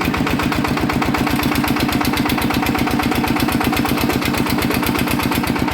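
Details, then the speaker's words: Yanmar 160 single-cylinder diesel engine: steady thump with a hard rhythmic knock riding each stroke; bearings found dead and loose, spinning in their housings, needing new bearings or building up the housing. "น่าจะเป็นลูกปืนแน่นอนนะครับครับผมอ่ะนะครับ"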